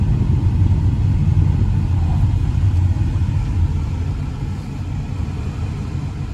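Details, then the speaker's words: 1998 Toyota Corolla 1.8 on test drive after no-crank repair: low, uneven rumble with irregular stumbles, dies when coming to a stop; suspected bad misfire. "I think I fixed a problem but I don't think I fixed his whole problem because it just died on me when I come to a stop I think we got a bad misfire somewhere"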